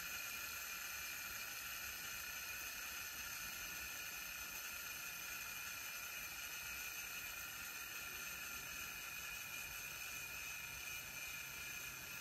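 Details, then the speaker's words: Revox B710 cassette deck after tape transport restoration: steady high hiss and even whirr while fast-winding, no squeal or grinding; full wind takes about 40 seconds, much better than before. Normal fast winding. "you just crazy fast you might run a counter and see how quickly it does"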